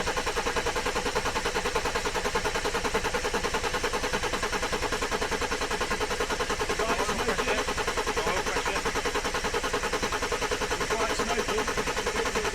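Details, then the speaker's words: Mercedes OM606 diesel in a Land Rover build, first start after fitting the injection pump, turbo and oil cooler: long regular chuffing crank that never catches; glow plugs not yet wired, suspected cause of slow start. "So, I think that would have started a lot quicker with the uh with the glow plugs. Yeah, I think she's uh finding she really wants the glow plugs connecting."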